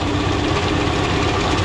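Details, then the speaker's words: 1970s Lincoln Continental V8, first start after sitting about 25–30 years: steady idle with an irregular light slapping, a loose belt bouncing back and forth hitting the power steering pump; belt slap. "it's actually bouncing back and forth hitting the power steering ful is one of the noises"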